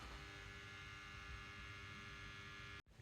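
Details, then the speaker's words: Old record player turntable motor making a loud noise: a steady drone with fixed whining tones, then it cuts off. Oiling the two top motor points made no difference; owner suspects the lower motor bearing also needs oiling, which means pulling the motor. Cause unconfirmed. "so I I bring this round to here in the is the motor and in the motor there there are two spots where you drop oiling but the video online said that really you need to pull the whole motor out because underneath there's a second buring that also needs oiling"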